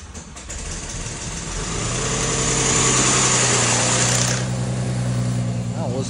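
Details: Mercedes-Benz W212 with M272 3.0 engine on cold start: catches and settles into fast idle with a loud rushing hiss and a steady tick about three per second; abnormal cold-start noise.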